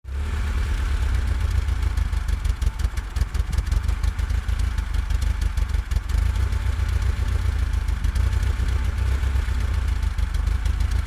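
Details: Lada Riva 1.5E with catalytic converter at idle: rough stumbling, irregularly dipping beat as cylinders misfire; vacuum leak, typically a tiny leak in the brake servo to inlet manifold hose, fixed by replacing that hose.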